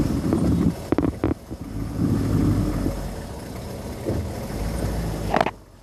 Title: 95 Chevy 3500 rough idle